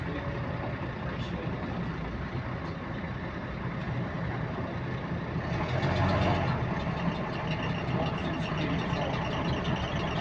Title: Repetitive Clicking Noise In Sync With Engine Speed | GAL WVL358 On Bus Route 486 (2)